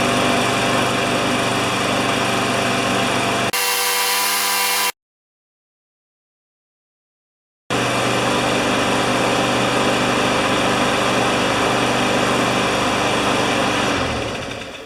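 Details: Newer Briggs & Stratton mower with plastic carburetor that started then stalled, after carburetor work: steady, even buzz with no surging, winds down smoothly at shutoff; runs properly.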